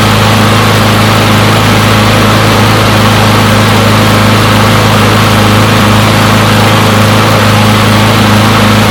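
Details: Push mower from a neighbor who said it wouldn't start; run to warm up after long disuse. Loud, even single-cylinder drone at steady speed with no misses or surging; runs pretty good; normal running.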